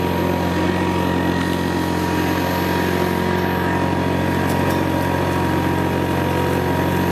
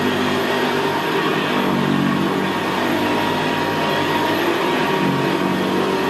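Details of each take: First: 1975 Hoover Senior Ranger U4002 vintage upright vacuum: steady motor drone with a fast, slightly uneven flutter, a mild vibration likely from the brushroll end, where a small spring clamp holding it steady is missing. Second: 1975 Hoover Senior Ranger U4002 vintage upright vacuum cleaner running on carpet: steady quiet motor with a deep, gravelly growl from the brushroll, louder where the carpet is squashed down; normal for this model.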